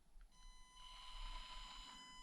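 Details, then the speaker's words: Stock Axial SCX24 Deadbolt micro crawler on stock electronics creeping at low throttle: steady piercing high ESC whine over faint motor rustle, with mediocre low-speed modulation. "So here a stock deadbolt, absolutely stock SCX24 deadbolt, and as you know, you hear the whine, and low speed modulation"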